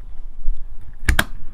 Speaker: And you'll hear a clunking sound. That clunking sound is the sound that those teeth have meshed correctly.